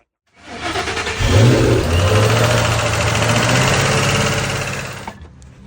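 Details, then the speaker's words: Ford Mustang GT500, valve cover off: engine runs and revs with steady ticking knock from the driver side head, keeping time with engine speed; collapsed lifter. "how we're going to find this noise on this GT500 just making a knocking noise over here on this driver side head"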